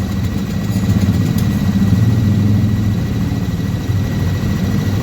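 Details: Yamaha NMAX 155 scooter idling: uneven low rumble with a faint thin squeak from the CVT area, gone when accelerating; suspected dust buildup, dirty clutch shoes or worn V-belt, not confirmed.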